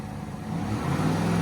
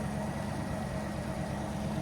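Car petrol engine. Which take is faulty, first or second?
second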